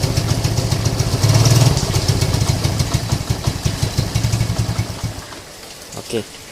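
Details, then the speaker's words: Lagenda 115 fuel-injected single, warmed up: chugs unevenly, loping and stumbling, weak timing, then fades and dies after five seconds; hot misfire and stalling, no spark, blamed on failing pulser coil and weak flywheel magnet. "bila dia panas dia tiba-tiba muncul masalah dia tuh tiada api Fel pump bermasalah"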